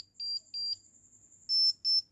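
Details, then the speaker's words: Mobile phone loudspeaker tested with SAMWA 360TR analog multimeter on buzzer setting: two thin high beeps as probes shorted together, then three louder, fuller beeps with probes on speaker terminals; speaker works. "देखिए आवाज़ ज़्यादा हुई ना, जब मैं इन दोनों probes को लगाता हूँ तो इस स्पीकर के अंदर से आवाज़ आती है।"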